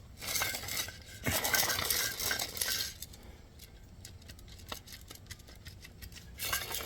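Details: Alternator from an old Cadillac CTS, spun by hand off the car, gives gritty, rattling bursts and loose clicks; its bearings are worn out, before fitting a new unit.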